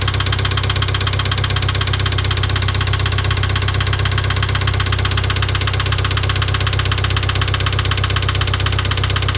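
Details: IH 2544 tractor at even idle: steady sharp knock about four times a second; engine knock, source still undetermined.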